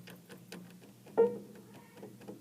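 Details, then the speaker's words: Piano keys worked by hand without hammers hitting strings: faint light ticks, clicking on some keys caused by loose whippen flange screws; fix is tightening the screws, a regulation step. "so as I play this, you can kind of hear, on some of them, there's a little bit of a clicking noise, so it doesn't even have to hit the string, but if I just go"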